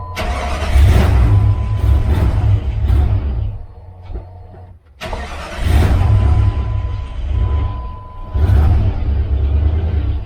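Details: WJ Jeep after fuel pump assembly repair (busted O-ring caused low fuel pressure and multiple cranks to start): engine now catches quickly each try, settles to a steady idle and restarts easily, a healthy start.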